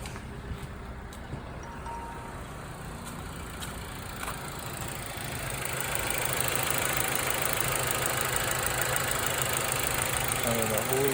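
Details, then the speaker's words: 2005 Mazda3 2.3 four-cylinder just after valve cover gasket replacement: the engine catches and settles into an even idle, no knocks or misses. No engine lights, much smoother than before; spilled oil burns off as tailpipe smoke. "I'm gonna just crank it up and let y'all hear it. Let's see how good I did. No engine lights."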